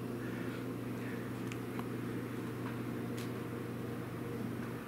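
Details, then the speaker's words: Ceiling fan after oiling its bearings; it used to squeak and occasionally grind. It now runs with a steady low hum and soft even whir, much quieter, with no squeaking or grinding, and the blades coast a long time after power-off. "I can tell the difference it's a lot quieter no squeaking or grinding"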